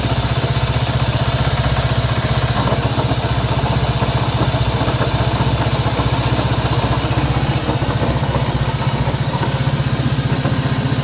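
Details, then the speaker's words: Honda CB190R motorcycle idling with a strange engine noise; steady idle with a fast, regular light ticking about four a second over a low hum, source not yet identified. "Bien, aquí tenemos una CB190R y el problema que tenemos acá es un ruido extraño que tiene esta moto."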